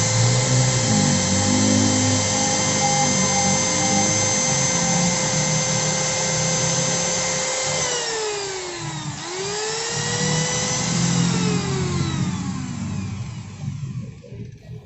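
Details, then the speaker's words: Modern SIM-100B coffee grinder after replacing worn-out bearings: smooth steady whine that winds down evenly, no rumble; earlier it ran rough, sluggish and hot; normal running restored. "Dan begitulah, hasilnya kembali normal; Hanya bantalan (bearing) saja yang sudah aus."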